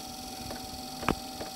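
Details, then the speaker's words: Eberspacher D2 12V 2.2kW diesel night heater starting after a DIY workaround for a non-start fault: steady electrical hum with soft spaced dosing-pump clicks; normal. Owner suspects a sensor or ECU not resetting. "you can hear the pump going there"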